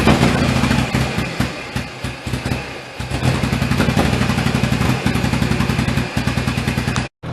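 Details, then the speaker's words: 1098cc A-series engine in a Turner Ranger Mini-based tractor, after SU HS2 carb service and resetting a wrong points gap, warming up outside. Steady, even low thump at a brisk idle, no misses; runs cleanly. "Turned out I had the gap incorrect on the points, so I fixed that, and yeah, it runs quite well now."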